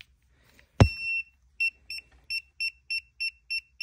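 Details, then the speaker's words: Segway Ninebot ES3 electric scooter: a clunk, then steady short high beeps about three a second, error code 18 (motor hall sensor abnormality); wire connectors checked tight, owner suspects the controller; replacing parts eventually fixed it. "so it's still giving me an 18 error code so I think the controller itself is bad"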